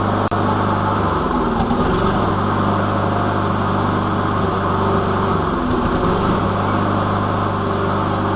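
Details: Lawn mower after priming: steady run with a couple of brief speed surges, then settles to even drone with no misfiring; normal running.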